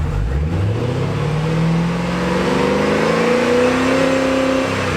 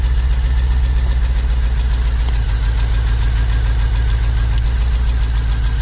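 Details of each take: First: 2009 Holden VE Commodore 6.0L V8 after replacing a broken pushrod plus spark plugs and leads: smooth, even revs rising and settling with no miss or stumble; running cleanly, no engine light. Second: 2009 Holden VE Commodore 6.0L Gen4 V8 with a rough, lumpy idle miss that sounds normal at first start and worsens as rpm drops; a broken pushrod leaves cylinder 2's valve stuck closed, so that cylinder misfires.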